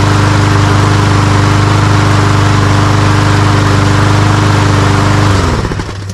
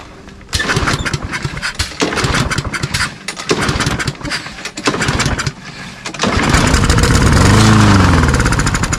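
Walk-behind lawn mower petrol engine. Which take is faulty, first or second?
second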